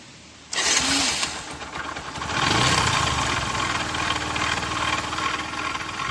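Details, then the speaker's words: Discover 100 motorcycle engine before full rebuild: starts to a rough idle with a quick steady metallic knocking; engine opened for full repair. "Engine से बहुत ही sound आ रहा है। बहुत ही अजीब तरह का साउंड आ रहा है।"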